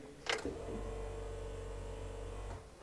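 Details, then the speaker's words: BMW E30 M20B25 turbo that stopped running; has spark, plugs dry, no fuel; fuel pump heard priming about two seconds at key-on, but fuel pump suspected failing. Finding: failing fuel pump. "something's telling me it's gonna be the fuel pump even though i can hear the fuel pump priming as i turn the key"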